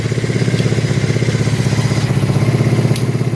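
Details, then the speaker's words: 1984 Kawasaki Prairie KLT250 barn-find ATV, not run in years, started on a jump pack: steady, even putter at about four beats a second, no tick or knock; engine sounds healthy. "well I tell you what that motor sounds good why Wow unbelievable I mean that motor doesn't even have a tick to it"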